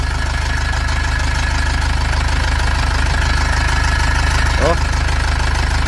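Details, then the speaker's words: 2005 Nissan Xterra with an MWM Sprinter diesel engine. Loud steady diesel run with a fast crackling rattle over the drone from the loose turbo heat shield (deflector), which is to be fixed. Loose turbo heat shield crackle. "ó pode ligar então a gente vai corrigir esse esse problema no defletor no escudo térmico aqui da turbina tirar fora"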